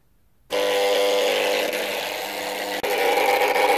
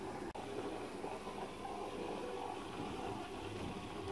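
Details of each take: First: Electric roller shutter motor goes down but strains to go up: steady buzz with a rough grinding edge, after a strange noise for some time; the capacitor measured 0.4 µF instead of 4 µF and replacing it fixed it. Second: Electric roller shutter motor after replacing its faulty capacitor, which measured 0.4 µF instead of 4 µF and had caused a strange noise and failure to rise: steady, even hum with no grinding, knocking or surging; running smoothly.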